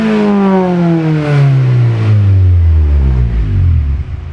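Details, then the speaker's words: K20Z3 K-swapped 1996 Honda Civic hatchback on a Burton Racing ECU, running some E85 with an adjusted fuel table, shortly after first startup. Strong clean rev, pitch falling smoothly back down with no knocks or rattles; a healthy engine. "That sounds pretty good. Sounds nasty, yeah."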